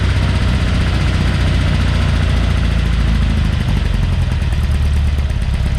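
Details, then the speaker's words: Porsche 912 flat-four just rebuilt (mild cam, minor head work, new old stock Solex carburetors, good exhaust). Oil pressure 60 psi cold, about 38 psi hot at idle. Deep, even burble with a steady beat, no knocks or misses. Smooth, healthy running. "we have actually run this and it's sounding really good oil pressure's good at 60 pounds of pressure when it's cold"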